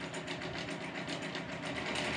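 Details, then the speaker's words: Grizzly G0748 mill with upgraded DC motor and temporary control box wiring, running at low speed: steady fast clatter about five times a second over the motor hum; loud gear chatter until pending parts are replaced. "now this thing's loud and chattery until I get that stuff taken care of"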